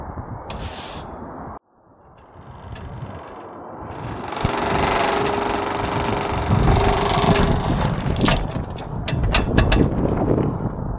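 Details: House eavestrough downpipe, tightly fitted and secured to the wall: loud, steady droning buzz at one even pitch over outdoor noise from harmonic resonance vibration, fixed with strategic drops of exterior silicone sealant.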